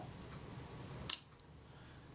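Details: Kodak Retina IIIc shutter after servicing, cocked and released at a set speed: quiet wind-down, one crisp shutter snap and a lighter click. It fires cleanly and trips the flash contact.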